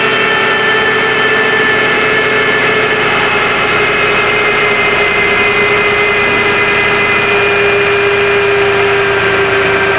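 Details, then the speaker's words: 2011 Toyota Sienna with battery and power steering lights, needed a jump start; idling with AC on while the PCM alternator control wire is plugged in: steady mid-pitched moan with higher whine, alternator groaning under charging load; bad alternator suspected. "But then we can also hear um we can also hear the alternator start to moan. I don't know if you guys were hearing that when I was plugging it in or out."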